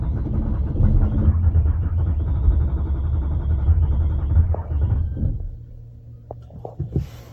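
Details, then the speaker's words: Range Rover L405 diesel running extremely rough: a low, lumpy rumble that throbs unevenly for a few seconds then sags away as it struggles to start; huge white exhaust smoke followed, and a fuel line is suspected, not confirmed. "uh but if you listened to it try to start it really struggle to"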